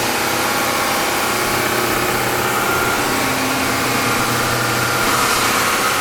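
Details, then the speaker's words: Bridgewood BWS 15 15-inch open ended wide belt sander: steady, even whir and hiss, no grinding or knocking; raises and lowers, all functions work; normal running. "It raises and lowers as it should. Everything functions on this machine."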